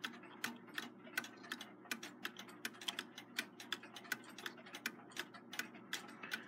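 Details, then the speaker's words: Seth Thomas automatic 8-day long alarm clock, model 89 movement, sitting on a desk probably not quite level: light ticks about eighty a minute with tick and tock unevenly spaced; runs in beat on owner's nightstand. Clock slightly out of beat. "it runs in beat on my nightstand it sounds like it might be a little bit about a meet sitting here on the desk I don't think it's quite level here nor it might not be quite level in the nightstand"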